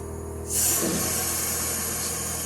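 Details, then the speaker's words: American Standard heat pump ending defrost: sudden loud rush of hissing air and refrigerant, then steady fan and compressor hum as the outdoor unit switches back to heating mode; normal byproduct of heat pumps. "So now the system has switched back to the heating mode, and everything should be heating in the home now."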